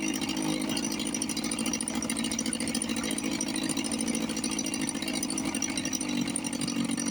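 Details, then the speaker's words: 1954 Johnson 5.5HP outboard, running after 60 years with rebuilt carburetor, reinstalled magneto and heavy oil mix; fast, even two-stroke buzz, steady, no misses or knocks. Normal running. "This one sounds really good."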